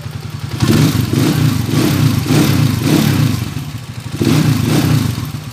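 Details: Honda TMX125 single after valve clearance adjustment, previously very noisy engine: repeated even throttle blips with no top-end tapping; smooth, healthy running.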